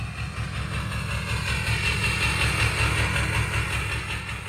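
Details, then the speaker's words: Ford 6.0 Powerstroke diesel idling with a lumpy, uneven knock, stumbling as a beat drops out; cylinder contribution test confirms a failing injector on cylinder one after swapping injectors one and three, before the injector was replaced. "so that pretty much confirms that it's injector one I swapped one and three cylinder 3 code's not coming back I'm going to park the truck and then I'll show you guys what it sounds like"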